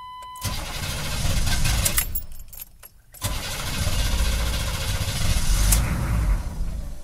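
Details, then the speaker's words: 6.2L diesel on a cold, damp morning, with a new fuel filter fitted. It starts and idles fine for a few seconds, then runs lumpy and surging before dying. Owner suspects air in the fuel lines or a temperature-related cause. Rough idle and stall. "well apparently fuel filter didn't fix it just happened again kind of rough idle and then it conked out"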